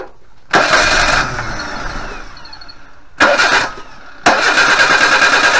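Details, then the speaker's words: 1988 Suzuki Vitara 1600 carb engine, off road since 2004, new tank, two gallons fresh fuel: three bursts of steady cranking with no firing; mechanical fuel pump delivers nothing to the carburettor, crank no start. "so nothing coming out of there so you can see the fuel pump just behind here there's nothing coming out of here"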